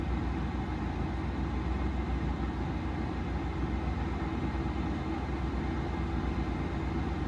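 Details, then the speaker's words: Vevor 12 V diesel heater started after sitting with degraded fuel: steady low hum with even blower whoosh rising in speed as the heater warms, generator droning underneath; burning cleanly and running normally. "All right, so she's heating up now. You can hear the fan speed running up."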